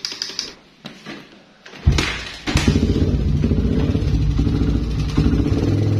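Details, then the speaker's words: Suzuki Satria FU motorcycle idling with a light, quick metallic ticking rattle from a noisy cam chain; the tensioner bolt was turned to its stop, but it still rattles and needs pressing in further. "Nah ini kan bunyinya bosku bunyi berarti agak ditekan lagi ya ditekan lagi pokoknya diputer lagi ke dalam ya ditekan lebih sampai ker"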